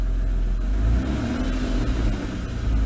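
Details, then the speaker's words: 2002 Dodge Stratus 2.7L driven about three miles, fully warm, after replacing the transmission control solenoid and cleaning pan magnet; smooth low engine rumble with the earlier whine gone, transmission sounds normal. "changing that transmission control solenoid worked wonders right now I drove it around the block we actually drove it probably bout three miles heated everything up everything's nice and warm it sounds a lot better"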